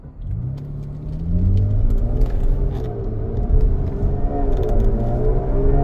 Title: 2016 Jaguar F-Type V6 S clunk knock noise center dashboard.